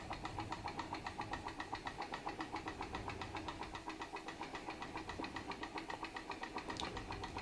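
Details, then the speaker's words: Small Stirling engine driving a Baker fan load, visibly slowed by it: soft, even chuff about 220 per minute, steady and unhurried, with a quiet background; normal running under load. "it's actually working it's working to turn that Baker fan sounds great sounds like an engine under load working and I reckon that's pretty cool for a Sterling engine"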